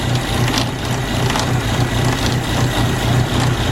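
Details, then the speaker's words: 1972 Opel GT, 32,000 miles, stored for decades, first start after long storage: rough idle with uneven light ticking, about four a second, and clattering near the front; suspected fan blade hitting the shroud, not confirmed. "that's definitely the fan oh I think it's hitting the Shroud"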